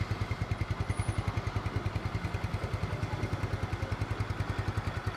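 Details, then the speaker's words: 2010 Yamaha Mio scooter, 10-year-old engine, first teardown, with plug and filter cleaned: even low putt-putt at a deliberately raised idle to warm up, no knocking or rattles; runs smooth. "Langsamnya masih enak, ini emang agak digedein dikit supaya cepet panas karena habis dibongkar mesinnya. Tapi ini untuk mesin umur 10 tahun, ini suaranya masih halus banget."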